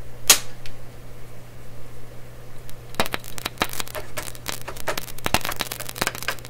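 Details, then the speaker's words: Canadian Marconi Model 93 tube radio after cathode resistor and bypass capacitor replacement on #42 tube and speaker repair: steady mains hum with irregular sharp pops and crackles continuing after power off; speaker crackling, suspected loose contact or bad tube element. "see that I turned off the power the noise kept going"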